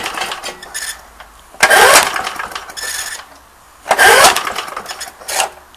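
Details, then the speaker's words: Briggs & Stratton mower engine, high hours, ran briefly then quit; choke works, air filter off, whistling from carb: two rope pulls whir without firing; cranks but won't start, owner suspects lost spark or blown head gasket. "the choke is working everything but I'm just going to give it a few pulls just to see if it'll even fire I don't think it is"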